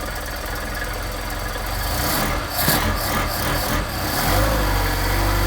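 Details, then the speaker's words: Solex carburetors rebuilt without machine work, on a cold start with the choke on: a steady, fairly even low idle with a soft regular pulse and no hunting or misses. A normal cold idle, with adjustment waiting until operating temperature. "remember these are no machine work carburetors so considering the cold and you got idle that's pretty darn"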